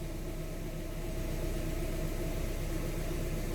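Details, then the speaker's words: 1995 Toyota Tercel idling with a shake also present in drive and reverse: thin steady whine above the rumble; owner suspects a bearing, water pump or AC, unconfirmed. Engine bay whine at idle. "that's bearings but to what water pump ac i need help sos"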